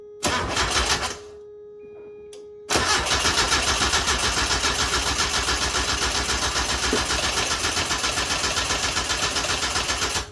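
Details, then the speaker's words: Mazda NA Miata with BP4W engine swap, old fuel drained and new gas added (previously wouldn't turn over): engine catches for about half a second and dies, then fires and runs on the next try. "So this is with new fuel in it. Before it wasn't even turning over. Now it's actually wanting to start."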